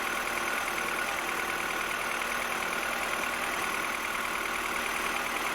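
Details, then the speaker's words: 2007 Mini One 1.4 N12 Valvetronic petrol, which hunted at idle on cold start, after replacing the Valvetronic solenoids; fairly even idle just above 1,000 rpm, soft steady hum, no hunting or misfire; normal idle. "Okay, so that's a little bit better. The Valvetronic has to adjust itself and get some oil in it. But at the moment it's quite steady, which is good news actually, and the revs are just above 1,000."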